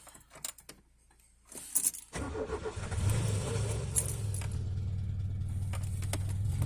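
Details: 1987 Peugeot 205 1.4 GR with the Douvrin "X" engine, off the road three months. The choke would not reach full because the mechanism is sticking. The starter churns steadily for about a minute while the engine struggles to catch. Extended cranking, hard start.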